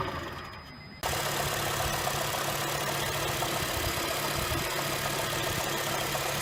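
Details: 2007 Honda Fit cold start: engine catches and settles into a fast, fairly even light knock about four a second over the idle, first suspected rod knock or piston slap, traced to a bad AC compressor pulley bearing (replaced with NSK 35BD219DUM).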